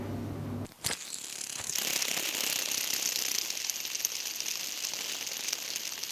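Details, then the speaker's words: Old CNC router revived after two years stored, linear bars soaked overnight in degreaser: gritty, crackling rasp as the carriage slides by hand, no smooth roll; recirculating linear bearing running rough, thrust bearing fine, replacement needed. "right I don't know if you heard that particularly well but um this bearing is not running at all cleanly"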